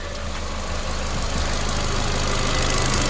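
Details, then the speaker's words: Ford Fiesta Mk7.5 small petrol engine idling on a raised lift during an oil service: a steady low thrum with an even beat and no knocks or rattles. Normal, healthy idle. "sounds a nice sweet little engine to be fair"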